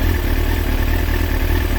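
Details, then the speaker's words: Kawasaki ZX6R J2 four-cylinder after carb rebuild with new main jets and needle clip change, carbs synchronised to about 21 on the Carbtune Pro: smooth even idle, no misses or stumble; well balanced and healthy. "So here guys, this is what I settled on. You can see that pretty much around about 21. That's as near as down as I can get them."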